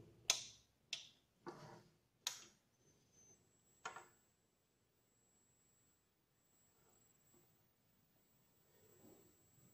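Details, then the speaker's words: ATX computer power supply with 5 V and 3.3 V rails oscillating, fan held stopped: a thin steady high-pitched whine, likely from swollen capacitors, before opening the unit. "Tá, pessoal, esse é o barulho que faz quando os capacitores estão estufados. Geralmente é capacitor estufado."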